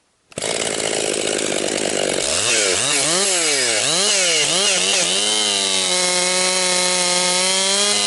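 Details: Rebuilt Husqvarna 262XP chainsaw during break-in, compression come up, bucking a dry, dusty pine tree with rotten and hard spots; crisp high two-stroke snarl bogs and recovers through each cut, pitch sweeping cleanly with load; normal healthy running under load.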